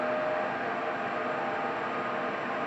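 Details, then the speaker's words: IQAir air purifier after 10 years of use: a steady airy rush with a faint thin whine on top; squeaky noises have worsened over weeks and the owner believes the fan motor is wearing out, though it still filters. "yeah so it's still filtering the air the way it's supposed to be but definitely that motor is on its way out"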